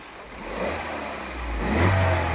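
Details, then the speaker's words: Engine once oil pressure has built up: picks up smoothly from idle into a brief rev with no rattle or knock, sounds healthy; suspected timing chain slap only before oil pressure builds. "sounds healthy as now doesn't it yeah perfectly so inherently i think the engine's good"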